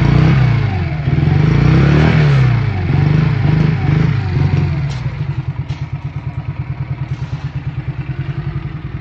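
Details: Honda CM motorcycle on a cold day, started after wrapping the exhaust headers: revs hunt unevenly, then drop to a slow, lumpy idle with loping exhaust pulses; rough running, cause not confirmed.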